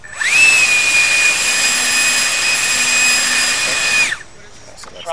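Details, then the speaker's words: 10-blade EDF fan with cone at the final chosen balance spot: high, steady whine spins up quickly and holds an even pitch without wobble or buzz, then cuts off. Best balance found, though it could still be better. "and we'll go back and you can hear that the sound is probably the best it still could be better but it's pretty"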